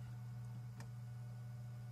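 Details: Cooler Master MasterBox 5 Lite RGB PC case in normal use. Constant low buzz like distant hair clippers, in a quiet room. Caused by the front plastic panel or tempered glass vibrating; stops when the front panel is held or the glass screws are loosened.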